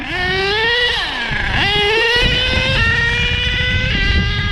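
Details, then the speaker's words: HPI Savage XL nitro monster truck (K5.9 or X4.6) after low-speed needle tuning: revving whine climbs then drops in pitch several times under load as the 3-speed transmission shifts up through its gears; normal, clean shifting. "man, that 3-speed sounds gorgeous. I don't know if something could sound gorgeous, but that's what it sounds like."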